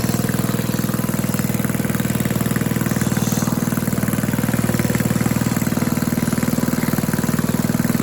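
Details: Tecumseh Snow King snowblower stored all summer: steady even putter of the small single-cylinder at idle, regular firing with no misses before being left to run out of fuel; healthy.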